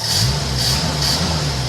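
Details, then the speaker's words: 1986 Ford F-150 yard and snowplow truck, carbureted V8 with a National Carburetors carburetor installed about 4.5 years ago, fuel filter changed yearly: steady even low rumble at idle, no misses, knocks or hunting; carburetor still working fantastic. "It's a little bit dirtier than it was when I put it on 4.5 years ago, but it's working fantastic."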